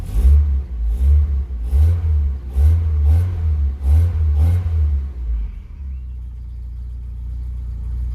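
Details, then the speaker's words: Austin Maxi with new K&N air filter, oil pressure and vacuum gauges fitted, engine not fully warmed up, good oil pressure: several crisp throttle blips rising and falling cleanly, back to steady idle; owner says engine feels tight, not worn; healthy revving. "I know this engine's really good. Everything still feels nice and tight on this engine. It doesn't feel wore out."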